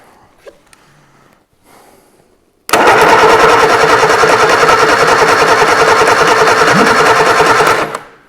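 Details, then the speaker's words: Reliant Super Van engine (Robin Reliant engine) being started: starter cranks at a steady chug about three per second, then a pop as it fires back; backfire indicates ignition timing is out, owner plans checking points and top dead centre. "that was a fire yeah so that means the timing's out doesn't it"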